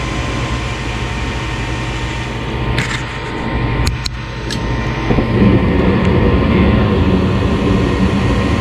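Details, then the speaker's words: Home gas furnace on a thermostat call for heat: steady fan drone as relays click and the inducer purges the system, then a fuller roar as the burner lights; normal startup, drawing well. "you hear the relays start inducing water starts and now it's cleaning out the system cleaning out any potentially harmful gases"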